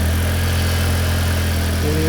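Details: 2004 Audi A4 Avant 1.8T automatic, idling after cam cover gasket and spark plug replacement and recent oil change; smooth even idle, steady low hum, no knocks, misses or rattles; slight smoke from spilled oil, no leaks seen.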